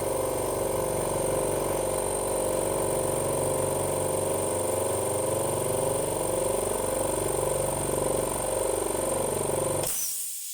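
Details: Cleaned 50 L twin dry air compressor pumping up on the regulator: steady, even twin-piston chug with a hum underneath, running smoothly until it cuts off at the end, normal running.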